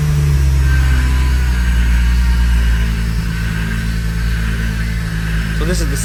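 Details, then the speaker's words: Porsche 911 after a power steering pump job, at idle: a constant whine rides on top of the engine. It is caused by air in the system, with bubbles seen in the reservoir; the owner was concerned about the reservoir-to-pump connection. "that I was referring to earlier terrible sound that sound you hear typically means that there's air in the system"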